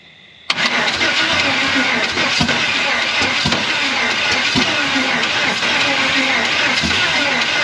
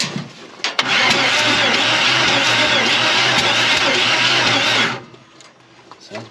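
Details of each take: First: Chevy 350 V8 in a 4x4 Ford Ranchero sat torn apart 30+ years, first run on wide-open headers: loud crackling bark at a steady even fast idle, no misses or audible knock, good oil pressure; runs well. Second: Chevy 350 in a Ford Ranchero 4x4 parked 30+ years: loud, steady hiss while cranking with no clean rhythm; compression escaping because all head bolts were found loose.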